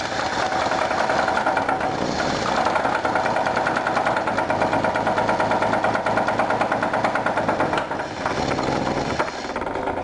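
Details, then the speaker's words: Dodge Dart engine started on gas poured into the carb: rough idle with a sharp metallic knock about three times a second riding over it. The engine is being pulled for teardown. "Let's hop in it and see what happens. See if it'll start and you can hear that knock."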